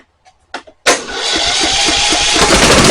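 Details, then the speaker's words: Troy-Bilt Horse XP tractor: starter spins the small engine with steady whir and even compression pulses, carb solenoid clicking, choke working, but it never catches; possibly out of gas (about an inch seen in tank). "Well, hear the carb solenoid clicking. What the world's going on? Choke is working. Maybe it's out of gas."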